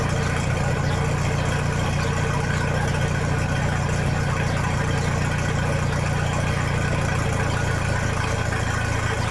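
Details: 1966 U302 Super tractor idling under its own power after earlier rebuild issues were corrected: a loud, even, deep idle with a steady beat and no knocks or misses, raw without a muffler but healthy.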